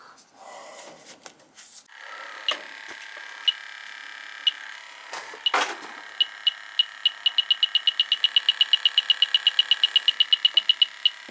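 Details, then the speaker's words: Leak detector on a Carrier AC unit that cycles on and off: beeps speed from about one a second to a rapid chatter at the evaporator coil, system nearly empty of freon: refrigerant leak at the evaporator coil. "coils leaking not much freon in it now but it's it's pretty much empty but definitely got a leak here i can hear it"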